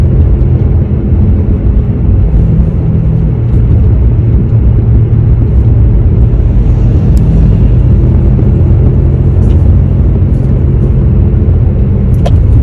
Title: #HummingSound #BadWheelHubBearing #shorts